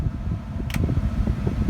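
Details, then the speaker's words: 2002 Chevrolet Tahoe HVAC blower after replacing the blower motor resistor (speed 5 previously cut out the AC): steady whooshing fan rush, motor smooth through speeds 1 to 4, no cutting out; working normally. "I'm gonna put it on level 1. That's 1. That's 2. 3. That's 4. Everything's working good so far."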